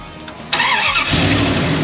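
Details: 94-01 Dodge Ram 1500 with 5.2/5.9 Magnum, after replacing a bad coil wire that caused crank no start: brief starter whirr, catches immediately, settles into steady even idle; normal start and idle.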